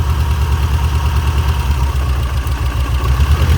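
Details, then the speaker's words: Shelby GLHS parked 20 years, first run: a lumpy, uneven idle with a missing pulse. Number three is dead; the cause could be the injector or connector, unconfirmed. Dead cylinder misfire. "all right number three is dead but it's so it could be the injector so we won't wiggle the injector"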